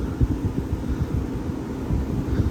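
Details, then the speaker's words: Vintage Westinghouse 10,000 BTU window A/C with what looks like a Copeland/Bristol-style reciprocating compressor; running on high cool; steady low compressor hum and fan rush, no rattles or squeals; smooth runner, normal running. "but anyhow yeah it's a smooth runner uh i think for 20 uh 40 bucks it's not too bad"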